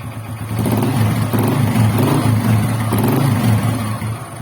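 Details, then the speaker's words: Freshly assembled Honda XRM125 single after engine rebuild, before break-in: beat rising and falling with light throttle blips, even and free of knocking; the earlier grinding noise is gone and it runs healthy. "So ngayon, ayos na mga bro. Okay?"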